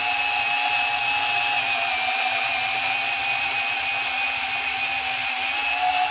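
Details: Rebuilt Milwaukee 2429-20 M12 sub-compact band saw with new housing cutting 1/4-inch steel plate, about its capacity: steady high motor and blade whine with slight strain from the small motor, no grinding or stalling; running normally.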